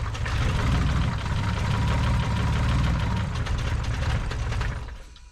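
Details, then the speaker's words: Lexus IS200 spare 1G-FE engine, first start after rebuild; rough, lumpy, stumbling idle, down on a few cylinders; caused by a loose ground, fixed by tightening it. "once again something was wrong the engine did not sound healthy seemed to be down on a few cylinders luckily it was just a loose ground which was tightened down quickly"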